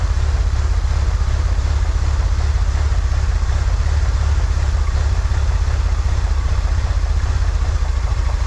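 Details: 1963 Corvair flat-six after vacuum leak fixed, new PCV valve, fuel mixture adjusted: deep steady burble at slightly high idle, no hunting or misfire; "that's the sweet spot," idle still a little high. Normal idle.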